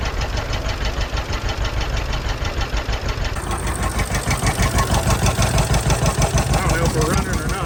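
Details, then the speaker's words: 83-year-old John Deere B sitting 20 years with stuck engine, first start after freeing it, oil pressure up, fuel on, no cooling system; slow even two-cylinder putt-putt about three beats a second, deep exhaust pulse; running steadily. "not he's a runner awesome we got a lot more to do this thing but the fact that it runs that just makes me so happy"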